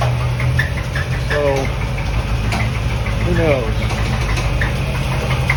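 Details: 1988 Corvette V8 at idle, bought with the noises: a light, regular tapping with an occasional squeak; no misfire from the exhaust; the owner thinks it comes from one side near the front; knock source unclear.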